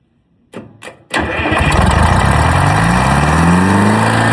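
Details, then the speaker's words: Old Detroit Diesel on a jaw rock crusher plant, first start in 3 to 5 years after the starter was put back together: a few starter turns, then it fires, revs briefly as if about to run away, and settles into a smooth, steady idle. "Woo. That was going to run away on me there. Fired right up. I thought it was going to run away for a second."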